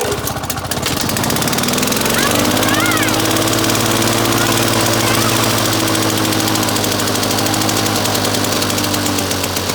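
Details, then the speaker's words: Victa two-stroke mower rebuilt from two parts mowers, first full-throttle run: after a rough catch, steady even high-pitched buzz holding speed cleanly; normal full-throttle running. "I was gonna take it full run now and just see how it goes"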